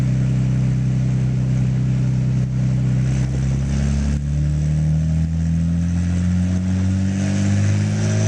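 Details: Nissan GTR on a dyno, engine pulling up through the revs under load, pitch climbing with brief uneven stumbles in the note; misfire under load.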